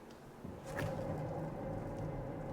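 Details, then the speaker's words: 2009 Dodge Caliber 2.0L while driving: steady mid-pitched whine over low road rumble from the rear, a worn rear wheel bearing screaming. "Yeah, that wheel bearing is screaming. This thing is gonna need a wheel bearing as well."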